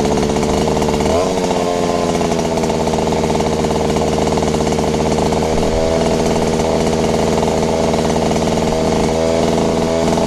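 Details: Robin EC10D Japanese two-stroke engine after cleaning points, condenser and flywheel, carburettor strip-down and fuel tank flush: loud, even, buzzy drone at fast idle, a touch rough and noisy; running too fast, cause not pinned down.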